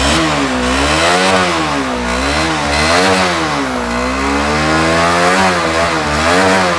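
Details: Honda CBR150R single-cylinder motorcycle started on a substitute battery after its 5-day-old battery failed from an internal short: pulls smoothly through repeated throttle blips and falls back cleanly, no misses or knocks; engine running normally.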